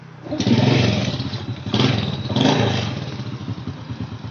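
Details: Honda Supra Fit motorcycle after repair of a rough noise that appeared when revved: catches after a few cranking bursts and settles into a steady, even idle with no knocks or rattles; normal idle, the rough revving noise almost gone.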